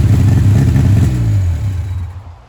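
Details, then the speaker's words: 1959 Reliant Regal Mk5 three-wheeler, first run in 20+ years, on full choke, good oil pressure and heavy smoke: deep lumpy low rumble running briefly then fading; runs on choke normally. "It's on full choke and I can't adjust the choke."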